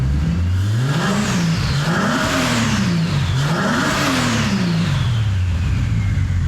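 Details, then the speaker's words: Ford XR6 ute, stock engine converted to turbo, true first start after build, 60 psi oil pressure: two clean throttle blips, revs rise and fall smoothly, no knocks, misses or rattles; lifters may be pumping up. Normal running. "again wee listen to to it listen to it does sound pretty good"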